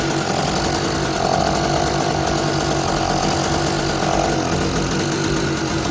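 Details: Small Target generator that refused to start, now idling after a little fuel was poured into the carburetor opening with the choke left open; steady, even chug with no misses, normal idle.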